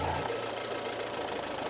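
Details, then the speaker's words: Alfa Romeo Giulietta 1.4 T-Jet idling with oil filler cap opened and closed; cap held down by strong vacuum, idle speed changes audibly, steady hum with faint ticking; suspected faulty PCV valve/oil separator module, car consuming oil. "donc là écoute bien si je le faire on va entendre un changement du régime moteur"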